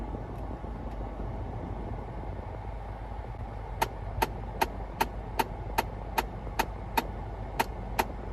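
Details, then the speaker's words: 2011 Ford Flex, engine running, HVAC switched to recirculation: sharp, steady clicking from behind the glove box at about 2.5 per second; the recirculation door actuator's gear teeth fail to catch. Fixed by replacing the actuator. "It's got some teeth in here and this little gear that rotates when you open the blend door and or the recirc door, and those teeth have problems catching"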